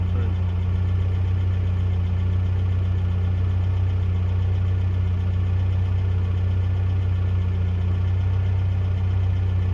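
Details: 1982 Toyota SR5 4x4 pickup, carbureted: steady, even idle with a deep low hum and no misses or knocks; engine running smoothly.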